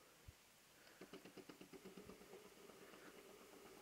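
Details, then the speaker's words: Lidl steam brush (about £17) switched on with the button pressed to iron a creased shirt: quick ticking pulses, nearly three a second, as the pump primes, settling into a soft hiss; steaming normally. "There it goes. It's steaming. Oh, woo! Very good."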